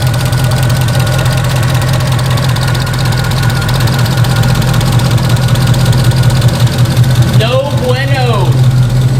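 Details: 2009 Mercedes SL63 AMG (R230) M156 V8 at idle; fast fairly even ticking over deep hum from driver-side bank 2 valvetrain; teardown found loose front camshaft bearing caps that had scored the cams.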